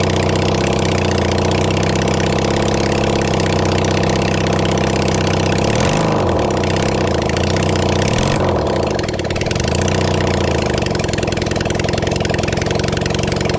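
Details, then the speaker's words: Kawasaki Zephyr 750 under restoration, carbs fitted, refuelled, a bit of choke, string as throttle: four-cylinder steady idle, picks up cleanly on a couple of blips and drops back evenly. Normal idle. "so with a little bit of Choke and a piece of string as a throttle and of course some fwell we get better results"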